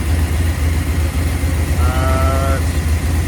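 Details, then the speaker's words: Mopar 383 V8 after repeated flat tappet lifter failures: steady, smooth idle about 900 rpm with vacuum advance connected, quiet lifters, no tick, knock or blow-by. Healthy normal idle. "Pretty impressed at how quiet these lifters are. Got no blow by. Idle about 900, and the vacuum advance is hooked up."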